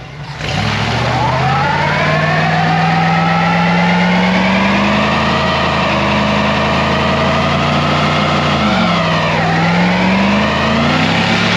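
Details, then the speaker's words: 1966 Ford F100 with 302 V8, AOD automatic, now a four-barrel intake and Edelbrock carburetor replacing a poorly jetted two-barrel, TV cable adjusted; strong, even drone pulling cleanly up the revs, no misses or knocks; healthy engine under load. "A lot more power. I'm sure that 2-barrel carb wasn't jetted right."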